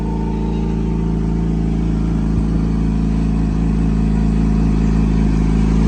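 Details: Yamaha YZF-R6 after engine repair and timing (cam chain) setup: smooth, even four-cylinder idle swelling slightly as the revs rise, with no ticking or chain rattle; normal running.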